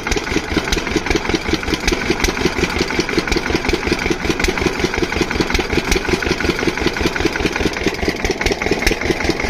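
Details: Single-cylinder diesel water-pump engine, after fixing the no-start, gives a regular thump of about 160 beats a minute, even and unbroken with no misses; running perfectly, no problem.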